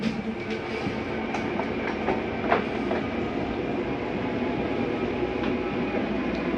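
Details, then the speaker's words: Normal slide-out retraction in an Open Range 2710RL RV, chair pushed aside: continuous gear-motor rumble with light clatter as the room draws in, no straining or grinding; the end noise is the mechanism stopping itself from coming in further. "okay to hear that noise it's just a slide mechanism telling itself not to come in any further"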